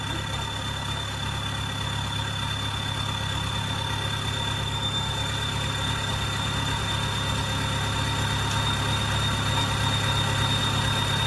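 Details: Kubota combine harvester diesel, under 1,000 hours, idling after a failed turbo was replaced: even low rumble with a faint constant high whistle; some white smoke expected at first.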